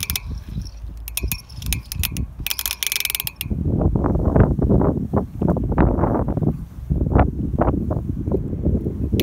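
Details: Tata Nano coasting: sharp ratchet-like clicks, then uneven low clunking and rumbling while freewheeling; cause unknown.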